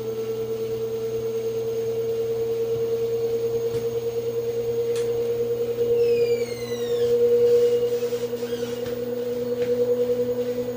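A steady, pure whine hums through the washer's spin, rising slightly in pitch as the drum speeds up.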